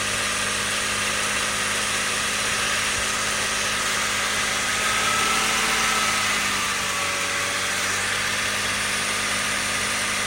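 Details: BMW 330i at idle, heard inside the cabin: steady high hiss and whir over a faint low hum, very clear inside but almost gone when standing in front of the car; source unclear; engine noise in cabin.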